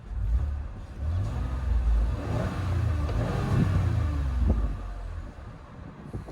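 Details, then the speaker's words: 2021 Chevrolet Blazer 3LT AWD 3.6 L V6, just started: deep, smooth rumble rising and falling with the throttle, no knocks or rattles, faint belt-drive whir; normal revving. "You can hear the belt drive a little bit, but that's okay."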